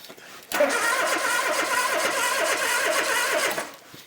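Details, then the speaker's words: 1972 Ford Capri Mk1 barn find, sat since the early 1980s, cranking with plugs in and no fuel: steady, even cranking for about three seconds with no firing; voltage reaches the points but there is no spark, dirty contact breaker points suspected. "so I'm re cleaning the points I've phone my brother the Oracle we've established that we're getting voltage to the points which is why that little bulb lit up so I just think there might be a bit more dirt on the point"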